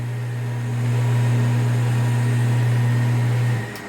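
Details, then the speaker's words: Half-HP peripheral water pump after repair and resealing: a steady, smooth electric hum with no rattle, winding down cleanly when switched off. Normal pump running after repair. "escuchen la bomba ahora que no tiene ese sonido que le mostré al principio"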